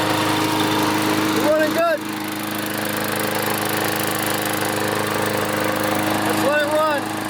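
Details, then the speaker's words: Older Briggs & Stratton 190cc flathead on MTD mower body, rebuilt from scrap after flywheel key, ignition coil, blade hub and auto choke repairs, air filter fitted: steady even single-cylinder drone, no misses, surging or knocks, birds chirping; healthy. "Start up and run just to make sure everything's okay. It should run a little bit better with the filter on,"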